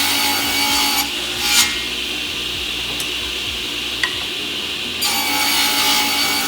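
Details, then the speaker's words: JA Fay and Egan Lightning Line 500 power-feed ripsaw after lubrication, bearing oiling and new blade, test-ripping 3/8-inch board under load: clean, bright hiss with crisp ringing, no rattle or extra vibration; healthy saw and blade. "there's a saw running really nice and clean and listen to it under load and hear how the blade cuts and how the shop works"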